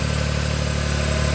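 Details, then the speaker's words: Smart ForTwo 450, rebuilt engine, idling with the alternator belt removed: steady, even low idle with no high whine, so the whine comes from the alternator, water pump or pulley; normal idle without whine. "So we've got the alternator belt off. We've struck it up, and that noise has gone."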